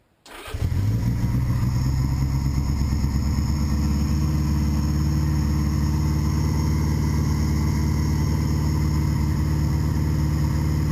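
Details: 1981 Honda GoldWing with custom manifold and VW carburetor, fresh oil, temporary tank, fuel shutoff valve wired, first start: cranks briefly, catches within a second, settles to deep steady even idle, no misses or knocks. Normal start and idle.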